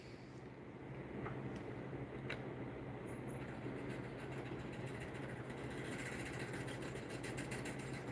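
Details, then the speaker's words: Stepper-motor electronic expansion valve charged with nitrogen, fan stopped; soft hissing flow over a low hum, growing louder as it opens and pressure equalizes; valve judged working. "I notice when I charge it with nitro, I can actually hear it kind of equalize when I open this here. Listen. So I think that one's working."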